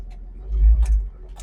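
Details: After installing a new universal 2.25-inch catalytic converter and new muffler: low mellow exhaust rumble swells as the engine catches, then settles to a smooth idle; less raspy than before, still sounds good punched; healthy.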